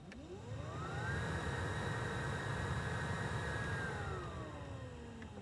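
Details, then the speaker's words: 2005–2019 Nissan Frontier, newly replaced blower motor at max speed: smooth whirring whine rising in pitch, steady, then winding down, "spaceship sound"; airflow better, blower healthy after repair. "wow that's a big difference it makes like a it has like a like a i don't know that motor you can hear it it's kind of like a spaceship sound"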